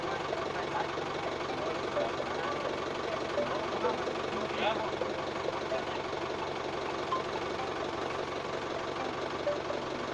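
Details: Thai office tractor after fixing a no-start and battery-not-charging problem; steady even diesel clatter with no misses or surges; normal running.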